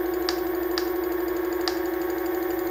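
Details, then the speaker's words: Onewheel Plus hub motor before repair: steady mid-pitched hum with sharp irregular ticks every half to one second; rattle that alternates with a squeak, cause unknown. "Before it was switching between the rattle and the squeak, back and forth."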